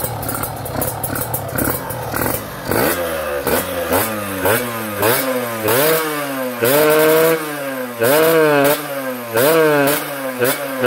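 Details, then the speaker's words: Kawasaki Ninja two-stroke after an engine refresh with a special OB block: crisp blips about every second, revs climbing and falling cleanly with no rattle or stumble; normal, smooth revving. "aman uh halus halus banget suaranya cuy ini enak banget nih suaranya"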